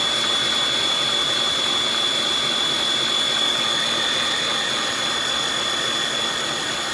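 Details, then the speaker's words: Aucma 6.5-QT 660W tilt-head stand mixer churning homemade butter: a high motor whine with a steady knock about four times a second as the loaded bowl and machine jump around the counter. The mixer walks under load. "But when it when it get to this phase, when my gun get to this phase, my bowl and the machine will start jumping around all over the place."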